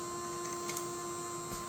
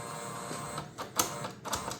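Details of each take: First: Creality CFS feeder on a K2 Plus after a factory reset: steady low motor hum with a faint constant tone and soft clicks; feeder sounds normal. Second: Creality 3D printer CFS filament system after reboot: short motor whirs and clicks in uneven stop-start pattern, lights flashing between two colors, feeder rotating backward and stopping over and over, never loading; cause unknown.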